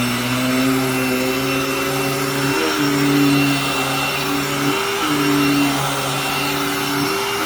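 A loud, steady motor whine with a constant pitch and no rattle or grinding; the vacuum is loud but healthy.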